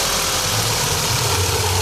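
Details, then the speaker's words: VW Golf 1.8 turbo 150 hp (same engine as Audi A3) at idle: uneven low drone and busy rough top end that disappears with slight throttle and returns at idle; cause unknown, owner plans water pump and timing belt kit replacement. "Vou colocar vocês para escutarem o barulho e vocês vão ver que acelerando um pouquinho some o barulho."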